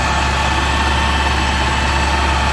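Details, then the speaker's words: Car with a Kraftwerks supercharger, after repairs to several parts causing engine noise and coolant bleeding: steady, even low idle hum with no squeal, chirp or rattle from the belt drive; earlier noise gone, normal idle. "and there's good all that noise has gone from earlier"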